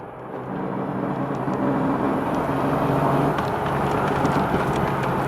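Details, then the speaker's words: BMW E36 M3 after a few small burnout launches: a steady low rumble builds whenever the car accelerates and stays constant under load. Owner suspects the center driveshaft support bearing or the guibo; unconfirmed. "it was making pretty bad noises earlier but now after those couple little launches it's real bad I'll loose leaving it here Oh points about the direction it's like constant now every time you hit the accelerator"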